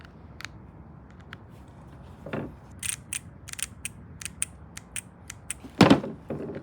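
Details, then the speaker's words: Carburetor electric choke cutoff valves for a 1967 VW Type 3 Squareback, bench-tested: crisp, consistent clicks as power is applied and released, the valve opening and closing; solenoid working normally. "you hear that once you put power through it it will open this valve and then when you release the power it will close the valve so that's working"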